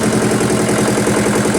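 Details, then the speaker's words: Yulin 2105 rice mill single-cylinder diesel, after repairing leaking valves that caused compression loss and hard starting: steady, even beat with no knocks, misses or leak hiss, running at both high and low throttle. Normal running after the repair. "Mesin sudah mau hidup, gas besar mau, gas kecil sudah mau dan oke kita matikan."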